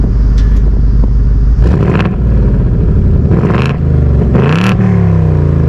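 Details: 2024 seventh-generation Ford Mustang GT V8, revving in quiet, normal, sport or track exhaust mode; deep rumble swelling into rising blips and falling back smoothly, modes differ mainly at higher rpm; healthy exhaust.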